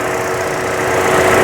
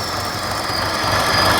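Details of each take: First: 2014 Buick Encore 1.4L turbo, after fixing squeal, rough running and lean code with work on the wastegate solenoid and throttle body gasket: smooth steady idle with no squeal, hiss or misfire; runs much better. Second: 2014 Buick Encore 1.4L turbo, over 200k, running rough with a P0171 lean code: a thin, steady hissing squeal over a rough idle. About 5 inches of crankcase vacuum at the dipstick is pulling air past the seals; the fix is replacing the valve cover.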